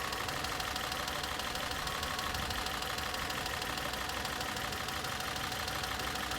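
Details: 2011 Citroen C3 (1.2 or 1.4) idling with a steady lumpy stumble about three times a second, cylinder four misfire (P1340) with check engine light; replacing the coil pack fixed it, no fault codes after a five-minute drive.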